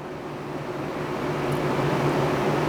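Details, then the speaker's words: Danby 3-in-1 portable air conditioner, about 12,000 BTU with inverter compressor: steady low hum and soft fan rush, 57–58 dB at the unit; quiet normal running. "the Danby runs at an even 57 to 58 decibels at the unit and at approximately eight to ten feet away"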